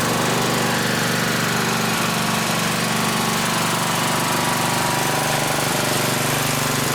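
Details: 1960s-era roughly 10 hp Briggs & Stratton (Hale fire pump), recently tuned with fresh oil and some old fuel: steady even single-cylinder thumping at fast idle, about three beats a second, no misses or knocks; normal running, slightly smoky (owner suspects rings).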